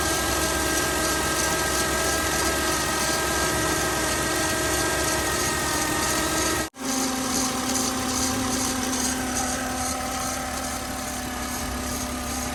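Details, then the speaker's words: 2008 Jeep Wrangler JKU at idle, after the battery light came on during a turn, belt checked fine: a steady high squeal from the accessory drive. Owner suspects the alternator, possibly the water pump; unconfirmed. "I'm guessing that if it's the battery light came on, that it's probably the alternator that's making that noise, because I hear it coming from over here, but also like, you know, right in this area here."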